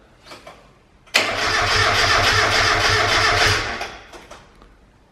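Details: Mk1 Mazda MX5 with a freshly fitted turbo kit and coolant just filled, cranked with the ignition unplugged on purpose: the starter churns steadily and rhythmically for about two and a half seconds, and the engine never fires.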